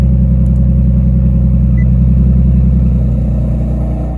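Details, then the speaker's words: Nissan 370Z drift car after a custom tucked exhaust, custom Y-pipe and electronic QTP cutouts with cutouts closed: steady, deep, even idle drone, very quiet, no ticking or puffing; the earlier exhaust leak is gone. "right as you can see super quiet no more exhaust leak like you heard in the beginning of the video"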